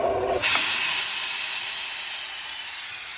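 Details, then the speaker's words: Homemade air compressor, old tank, belt-driven pump, bench-press motor, condenser cooling line, about 50 psi: motor cuts off abruptly, sharp steady air hiss follows and fades at shutdown; cause unconfirmed. "Oh, it's shutting down."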